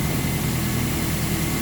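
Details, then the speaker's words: Toyota Hilux, 370,000 km, after harmonic balancer replacement and refill: running just over ten minutes, fully hot, smooth even low rumble with no knocks or ticks. "right I say it's been running for just over ten minutes and she's nice and hot there's no more coming out of it"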